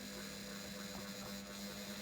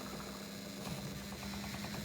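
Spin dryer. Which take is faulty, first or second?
second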